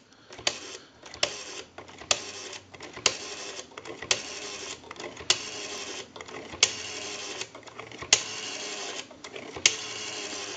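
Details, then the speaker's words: AE Space Maker 183 rotary telephone after the dial was oiled, cleaned and adjusted, dialing into a line analyzer: crisp, evenly spaced click bursts with clean pauses between digits; normal rotary dial pulsing. "we're going to dial our numbers if you watch the analyzer you'll watch the numbers roll by"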